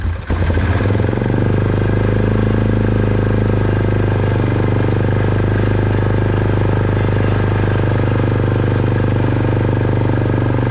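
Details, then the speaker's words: 2005 Polaris Trail Boss 330 single-cylinder, unused for years; steady drone at raised fast idle after contact cleaner sprayed on intake air leak, air filter and airbox refitted. "it's kind of idling a little fast because of the contact cleaner we sprayed on that air leag"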